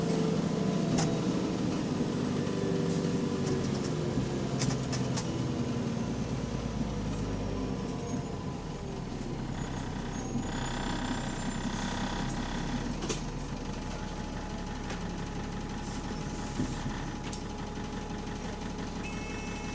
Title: Exhaust Leak | AL DW486 On Bus Route 144 Part 2